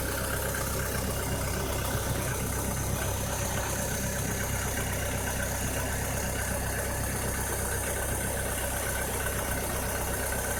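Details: 2006–2007 VW SpaceFox engine at idle with a strange noise: a rough, busy clatter layered over the engine note; source unclear.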